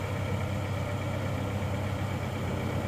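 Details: Suzuki Escudo engine after rebuild with machined cylinders and new ring set, previously smoking from worn scored cylinders: smooth, low, even idle hum with a steady beat and no knocking or rattles; smoke now clean, engine runs cleanly.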